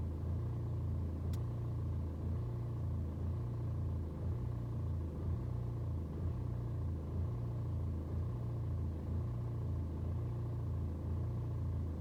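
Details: BMW 120d with N47 diesel, cold start: low idle rising and falling about once a second, steady hunting for over 2 minutes; rough cold idle, fine when restarted warm, no useful scanner codes, cause unclear.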